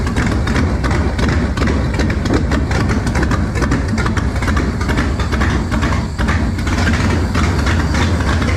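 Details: Engine test-running on a trusty 2-barrel carb swapped in for a used, rebuilt 4-barrel judged junk: loud, lumpy uneven idle with sharp irregular exhaust pops, blowing fire out; runs better than before, but owner suspects the air-fuel mixture needs setting.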